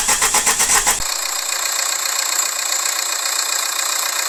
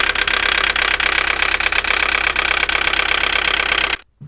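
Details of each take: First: Opel Astra G 1.7 diesel (X17DTL) after repair of knock, misfire, injection pump and injectors: cranks, catches and settles into an even idle with no knock, under heavy hiss. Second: Opel Astra G 1.7 diesel X17DTL at idle: uneven idle with sharp metallic knocks about three a second and misfiring, after earlier injection pump and injector repairs; timing marks fine, mechanic suspects the injection pump.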